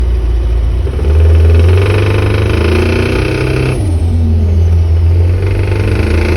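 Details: Mitsubishi 4G54 engine revving up and down with a rough, hard knock rising with revs; rod knock from a spun No. 3 big-end bearing.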